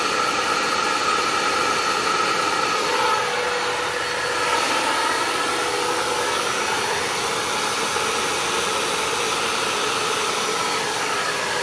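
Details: Dirt Devil Endura Max UD70175 upright vacuum running on a stand: steady airy roar with a strained, hollow tone and no clear suction rush; the hose is clogged by a stuck, metal-wrapped fake tree branch.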